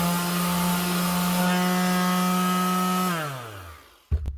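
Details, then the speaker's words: DS 320 Plus grip half-sheet sander after repairing a loose wire on the switch: steady, even motor hum at constant pitch, then a smooth coast-down to a stop; running normally. "That's her. 1F grip half sheet sander. Up and running again."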